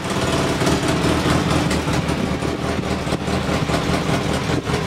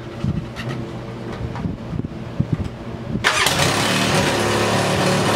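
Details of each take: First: Polaris Sportsman 600 ATV after a chewed-up wire was pushed back together and fastened: a steady, even single-cylinder idle with no misses, pops or surging, a normal idle, though still a little high versus the roughly 1100 rpm thought to be the target. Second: Polaris Sportsman 600 ATV with a swapped carburetor cranks, catches and settles into a loud, fast, uneven rough idle; battery voltage tests good, tach reads no rpm; rough high idle from an intake air leak.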